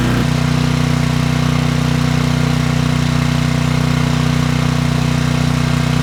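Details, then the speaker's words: Trash-picked 2005 Craftsman 5600 W generator, 10 HP Briggs & Stratton, heat gun load, choke off: a steady run at a fairly even pace with slight sputtering; the carburetor might need more cleaning. "You might hear that sputtering. The carburetor might need some more cleaning."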